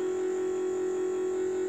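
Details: International school bus with T440E engine, key on and engine off; steady constant-pitch electric hum from the electric brake motor, which shuts off once the engine runs; completely normal.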